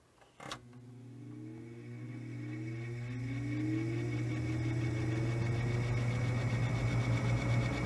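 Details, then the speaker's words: 1950s Roto-Aire model 07104 two-speed seven-blade box fan, thrift find, first startups after cleaning, low speed: steady hum rising as blades spin up with faint regular rub; owner guesses blade hub touching motor. "guessing what that probably is is that the blade hub is um touching the motor like too much I don't know"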